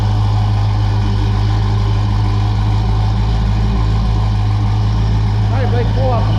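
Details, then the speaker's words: 1978 Pontiac Trans Am V8 idling cold-blooded on old exhaust before fitting new Pypes mufflers: low constant droning rumble under idle, no rhythm; old mufflers drone, unbearable in cabin with T-tops in and windows up. "it sounds really good but except for that drone that drone just drives me nuts so uh hopefully we're going to eliminate that with these new Mufflers"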